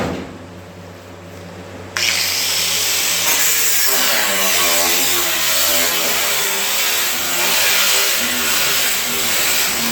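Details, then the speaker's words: Angle grinder cut-off disc cutting a 1956 Olds fender section on a 1949 Chevy: harsh hiss whose pitch sags and wavers, bogging down as the two tight-fitting metal pieces close in and pinch the disc. "you can hear it bogging down as you're going and what is happening there is the actual two pieces of metal are closing in on the uh the grinding disc because of the nice tight fit"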